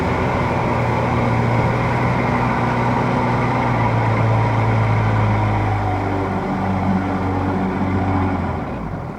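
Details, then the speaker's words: Outboard boat under way, prop only about two-thirds below the hull because of a short engine shaft and a tall transom: steady drone with uneven pulsing as air reaches the prop; propeller cavitation. "what are the problems that are feeling here right now is that a bit of cavitation in the propeller what that means is that a little bit of air is getting in there"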